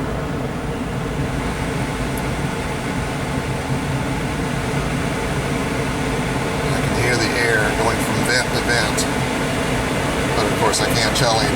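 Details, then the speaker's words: 2006 Pontiac Solstice after the blend door actuator replacement, HVAC recalibration with fan on full and engine off: a steady full-speed blower rush shifts tone as the doors cycle through dash, defrost and floor modes, a normal calibration. "but I can tell it is running through all the possible modes of the air on the dash, and the air on the defrost and the air on the floor"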